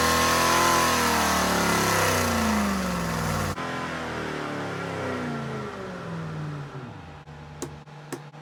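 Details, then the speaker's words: Restored Rover P6 3500 V8 on a Superflow dyno, warmed up with timing adjusted, pulls hard at full throttle to a preset 5100 rpm, then backs off and winds down; clean and strong; first pull made 168 bhp at 4900 rpm and 202 lb-ft. "The dyno will stabilise the engine revs I press the auto test button, the dyno will release the brake, let the engine rev to preset RPM, which in this case is 5100 RPM, and it will then slow the engine down again, release the throttle, turn it off, and we will have a test run."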